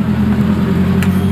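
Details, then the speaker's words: Fuel-injected motorcycle with no spark, side-stand circuit suspected: at key-on a steady low hum as the fuel pump primes for about 5 seconds, showing its circuit is normal before the coil circuit is checked; normal fuel pump priming hum. "tuh ya. Dengung ya. Jalur di sini normal."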